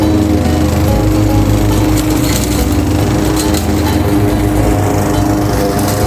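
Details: Craftsman 21-inch mower with Honda GCV160 5.5 hp engine, reportedly non-starting and found with a dry tank, now cutting grass at height level two: a steady, even drone that holds pitch, no misses or surging, over music. Healthy running; technically nothing was wrong.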